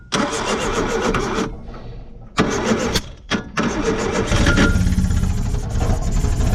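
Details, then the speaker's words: 1970 Opel sitting about 41 years, cranked via the solenoid on gasoline sprayed into the carburetor: the starter churns in bursts with pauses, then it catches and runs roughly. "there we go we got her running now come on pick up fuel pump we let her die"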